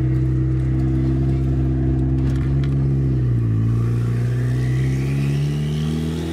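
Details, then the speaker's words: Turbocharged Honda Civic with a failing clutch, idling in neutral at about 3,000 rpm: steady drone with a brief dip then recovery; cause unconfirmed. "yeah it's idling super high that's a neutral yeah it's a neutral it's idling at 3,000"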